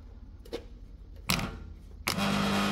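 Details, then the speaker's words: Beko smart inverter dishwasher that wouldn't drain: the drain pump impeller was stuck after 5-6 months of non-use and was freed with compressor oil. After clicks, a steady low hum runs evenly without grinding; the pump works and needs no replacement. "Yes, it's working now. No need to replace the drain motor, drain pump."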